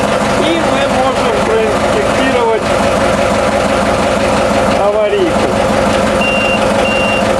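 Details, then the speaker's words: New TDME-490 58 hp marine diesel with 3:1 hydraulic reducer, replacing a 4Ch 8.5/11 in a converted 102B motorboat, idling with engine compartment open: even diesel chugging, no knocks, beeping outside; healthy engine. "Вот такой шум производит двигатель от ГУМИ 490 при открытом моторном отсеке."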